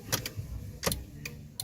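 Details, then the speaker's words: Toyota Corolla 9th gen, key on, after replacing the turn signal flasher relay to cure hyperflashing from LED bulbs: crisp, sharp relay ticks at a steady, normal flashing pace; flasher now working properly. "right see you can hear the clicking sound it's normal now"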